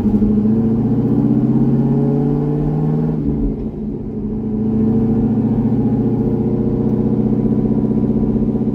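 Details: C6 Corvette V8 after an aggressive cam and long-tube header swap, retuned with HP Tuners: even, low burble dips briefly then recovers, no hunting or stalling. Smooth idle and running.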